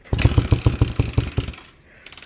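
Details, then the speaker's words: 1979 Honda CM185T (200T Twinstar) scrambler project that sat in a field about a decade, first start attempt: about nine ragged firing pops over a second and a half, then silence; engine catches briefly but won't keep running. "Um, sat in a field for about a decade and I'm close to getting it to run. It hasn't run yet, but it wants to."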